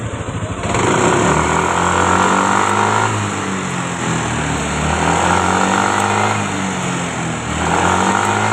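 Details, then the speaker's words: Fuel-injected motorcycle after error code 84 (VVA system) cleared after rechecking a possibly loose VVA connector: engine revs up and down cleanly, smooth pitch, no hesitation or rattle; VVA working normally. "Hóa ra VVA vẫn bình thường. Và nó tự biến mất rồi, đúng không?"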